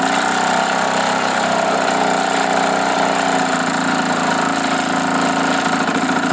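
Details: Old single-cylinder Johnson 2 HP outboard after repairs (new piston rings, adjusted points, rebuilt carburetor, new head gasket, new impeller), started on choke: drones at an even, steady speed with no stumbling or knocking; normal running.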